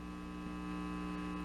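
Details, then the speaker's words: Inexpensive stereo amplifier kit build on mains power: steady low 60 Hz hum in both speakers, changing when filter caps are touched; owner suspected ground loop, fixed by adding a jumper between the two ground traces. "and the speaker in both speakers I'm assuming that's a ground ing issue or ground Loop or something"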